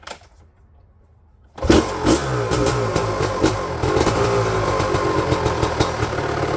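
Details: 1999 Honda CR250R two-stroke, first start after installing a new exhaust gasket and springs: quiet, then fires and settles into a crisp crackle with clean throttle blips; no leak at the front, quieter than before; runs normally.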